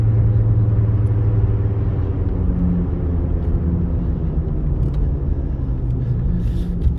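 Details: 2002 Jaguar XJ6/XJ8 on a test drive, accelerating: loud steady low roar that holds with road speed, no knock; suspected bad tire(s), wheel bearing or driveshaft, not confirmed; engine and transmission seem fine.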